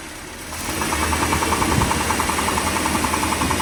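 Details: 1957 Mercury 368 cu in V8 running with a sharp, regular knock about three and a half per second above the engine note, worse when cold but still present at higher rpm when warm; cause not identified.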